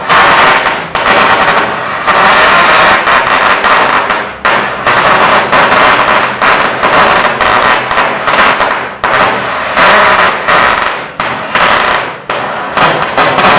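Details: Powercraft Harris cutting outfit with a flashback-free Innova attachment and built-in tip mixer, tip touched against metal: sharp pops about once a second with flame hiss between; the torch holds without flashback.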